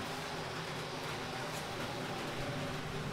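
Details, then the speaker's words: Minn Kota Ultrex 36V trolling motor running: steady, very loud rough grinding roar over a low motor hum from the lower unit; owner suspects line wrapped on the shaft damaged the seal, letting water in. "very very loud loud grinding noise coming from right down here"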